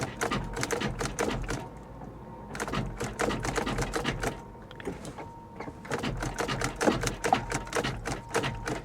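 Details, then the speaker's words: Salvage Ford Mustang GT, wet interior: bursts of rapid clicking and clattering as key is tried, engine never turning over properly; sometimes seems to try to crank, other times sounds locked, cause unconfirmed. "this is weird sometimes it sounds like it tries to crank and other times she sounds like she's locked"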